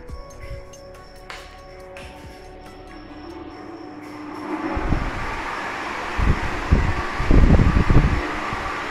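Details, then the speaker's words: Crompton Greaves High Breeze 450 mm pedestal fan, 1430 rpm, 100 W, after replacing bearings with SKF 6202 RS: smooth even airflow, no bearing noise, slight crackling expected to settle as tight bearings free up. "noiseless performance the bearing noise is gone there is some slight crackling that will get fixed automatically"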